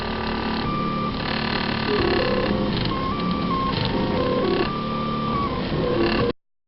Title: [666] CTC DIY Prusa i3 (replica) second run with strange noise (d.j.peters)